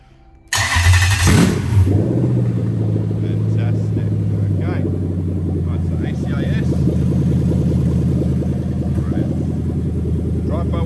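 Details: Cold start (coolant about 33°C) of a 1998-2000 Lexus LS400 1UZ-FE VVT-i V8 with its harness adapted plug-and-play into a Lexus IS200 with a manual gearbox: short crank, quick catch, then a deep, smooth idle that settles and holds steady; normal start and idle.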